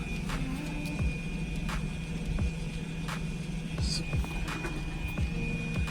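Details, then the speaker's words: 2012 Renault Megane GT Line electronic parking brake: a steady high electric whir over a low hum as the rear EPB motors retract normally into service mode via scan tool for rear disc and pad replacement, with no grinding or stalling. "So that's now is released. Press OK. Then you can hear the brake doing its thing."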